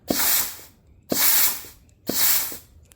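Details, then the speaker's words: 4L60E transmission with upgraded 3-4 clutches, before 4.8 LS swap into 93 Ford Ranger, air test at ports: three short air blasts with soft thumps as clutches engage and disengage, no leak hiss; working. "So they engage, it disengages. So all that looks to be working now."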